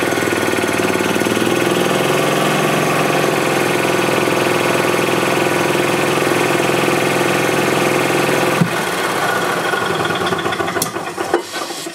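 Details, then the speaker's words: 2007 Club Car Precedent gas golf cart after new fuel pump (had fuel in oil): engine drones then cuts off sharply and winds down, starting and stopping because governor is out of adjustment, throttle open before engine starts. "so this governor is a bit out of adjustment that's why you're hearing its start and stop like that because I'm giving a pedal but the throttle is actually open before the engine starts"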